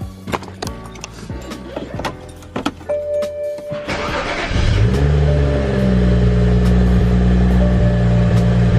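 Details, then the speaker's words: BMW 335i E90 N55 just after new spark plugs and ignition coils, sensor still disconnected: after clicking the engine catches into a low, slightly uneven idle, sounding like a misfire; owner suspects the disconnected sensor. "sounds like it's misfiring guys might just because of the sensors disconnected on their books so that's fine"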